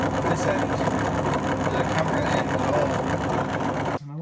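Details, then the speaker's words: Fagor FUS 6116 IT washer-dryer tumble dryer fan running: uneven rattling hum with irregular knocking, rotor jumping side to side; worn bushing and bearing housing. "This fan was bouncing all over the place and making quite a noise. See that little fan there, it's jumping from side to side. It's not sitting in bearings"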